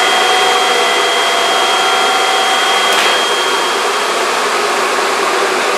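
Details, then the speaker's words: J44 turbojet engine after accessory drive restoration, motored on the starter at full power for the first time in over two years, with a bearing that always made slight rattle: loud steady rushing air with fixed high tones, smooth and even; normal motoring. "well there you go we got it going got it it sounded pretty good on the uh motoring test so i'm pretty satisfied with that"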